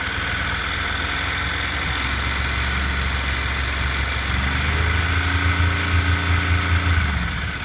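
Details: Honda NC700X motorcycle fully hot at idle: steady deep idle with a loose, uneven knocking rattle over the exhaust beat from the right side of the engine, present only when hot.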